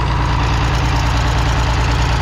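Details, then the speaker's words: International D282 diesel in a Galion crane, first run after rebuilt Roosa Master DBG injection pump install, low on coolant: deep steady idle with breathy puff each beat, exhaust wheeze; owner suspects a bad valve on number 1 cylinder, unconfirmed. "I hear it wheezing. Need to get some coolant in it."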